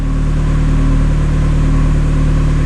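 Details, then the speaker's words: Turbo Mazda Miata on Hydra Nemesis EMS, cold start: idle RPM tuned slightly higher while the motor is cold, rich mixture with AFR gauge reading 13.1; steady raised idle with smooth even drone, no ticks or misfires; normal cold fast idle. "you can see or hear it's reporting rpms and the RPM is tuned a little bit higher when the motor is called"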